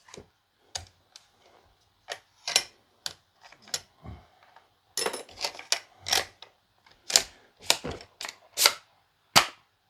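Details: Milwaukee M18 18-gauge brad nailer, used second hand, firing 2-inch brads: crisp sharp snaps, about fifteen in ten seconds, each shot clean with no stutter; firing normally.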